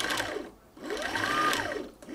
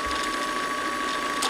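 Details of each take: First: Sewing machine winding a bobbin after a messed-up wind: a fast whirring with a loose rhythmic flapping that swells and fades; it is just the bobbin flopping around, and nothing harmful is happening. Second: Sewing machine bobbin winder, badly wound bobbin: fast busy ratcheting clatter over a steady whir, the bobbin flopping around on the winder; loud but harmless.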